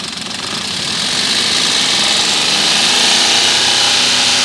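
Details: Maruti Alto 800 engine running: after a second settles into a fast, even ticking about four per second over a hissy run; a top-end tick, cause unclear.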